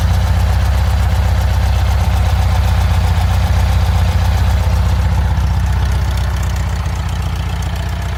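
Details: Car engine at idle after an exhaust leak repair: steady, deep, even low rumble with no ticking or puffing, checking for remaining exhaust leaks.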